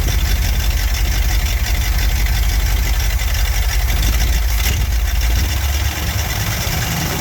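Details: Barn-find Cadillac 7-liter V8 first running after 30+ years, on new plugs: deep, steady rumble with even beat, no misses or knocks; healthy settled idle.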